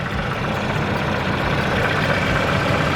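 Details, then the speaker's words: Mazdaspeed3 at idle, hood open: quick, fairly even ticking about four a second over the idle; timing chain not clearly heard, owner suspects the VVT is failing, unconfirmed. "i don't really hear the chain but i don't know there is a loud ticking this time and it could be it but who knows"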